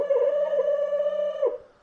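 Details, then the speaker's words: Jaguar XJ6 classic daily driver, wipers stopped working after engine replacement, tested with ignition on: steady mid-pitched wiper motor whine then stops; funny noises but wipers cycle back and forth, cause not confirmed. "i've got some funny noises but they did sort of cycle all right we're going back and forth now"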